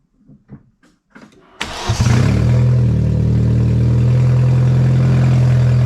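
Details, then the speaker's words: Astra just after exhaust manifold reinstall, first start with downpipe disconnected: brief crank then loud, raw, higher-pitched unmuffled drone, some smoke from oils burning off; open exhaust. "that was a little bit higher pitch than i thought it was going to be"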